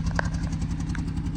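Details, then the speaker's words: BMW 118i with flashing engine management light: lumpy, uneven idle with irregular puffs and stumbles, a constant misfire that the auction report described only as an exhaust noise. "The comment about an exhaust noise, it was the misfire, so somebody's obviously decided not to put that down to obviously get a higher hammer price as usual, but this is not good. This is the exhaust noise you're talking about because it's misfiring."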